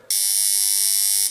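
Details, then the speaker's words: Mains AC buzzer: its plate keeps vibrating back and forth instead of sticking, because it is fed alternating current. A harsh, steady buzz of just over a second that stops cleanly with no stutter; working normally. "lámina mantiene un movimiento de vaivén y eso es debido a que lo estamos alimentando con corriente alterna"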